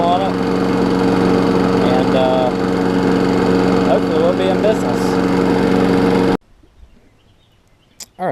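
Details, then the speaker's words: Craftsman 6 hp big-wheel front-drive self-propelled mower after a new spark plug: a smooth, even buzz at steady speed with no misses, then a clean shutoff; running healthy. "so I put the so propelled belt back on somehow someway I was actually able to leave up this self appel and now it's working"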